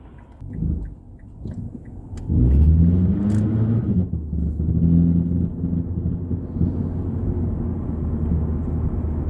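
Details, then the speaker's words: 2006 Mazda 3 2.0L on a road test before repair, driving normally in gear: steady road rumble with sharp pops and loose rattles as load shifts; heat shields ruled out, worn engine and transmission mounts suspected. "You can hear the rattling and the popping noises as you're just driving normally."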